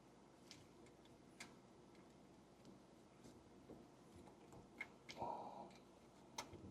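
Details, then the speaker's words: Kawasaki 1100 STX jet ski no-crank: only scattered single clicks and no cranking; voltage reaches the starter but the motor won't turn, failed starter with broken brushes. "Okay, so electricity is getting to the starter, but the starter, no starter."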